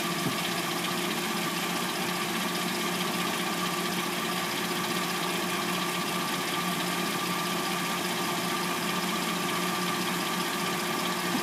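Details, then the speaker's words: 2006-09 Hyundai Sonata with replacement engine, first start after sitting overnight, noise appears once warm: steady fast clattery tick over even idle hum; owner assumes timing chain, unconfirmed. "Car hasn't been started all night, and we're going to hear what the car sounds like from start until when what I assume to be the timing chain, um, before it starts making its little clackety noise. can hear the timing chain noise."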